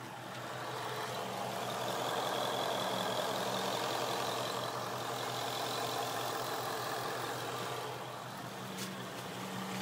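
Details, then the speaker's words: 2011 Mustang GT V8 at idle: a faint steady whine sits over the idle that the owner likens to a belt noise; the cause is suspected, not confirmed. "It's like the belt noise I was talking about."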